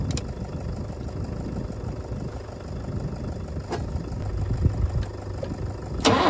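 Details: Ford tractor diesel, which had revved and died and then would not bleed, now running. Quiet, fairly even chug with handling clicks on top; owner says it sounds better, healthy idle.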